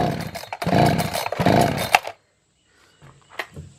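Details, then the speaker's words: Echo CS-590 (Timberwolf) chainsaw on premix fuel, no starting fluid, after the carburetor was adjusted and fuel turned up, at wide-open throttle: ragged, uneven surges, then it cuts out and falls silent. Owner suspects a fuel problem or bad carburetor and plans to replace it. "Well, as we can see from the clips, this thing did not start. If it started, it started and died. So I think we got a fuel problem."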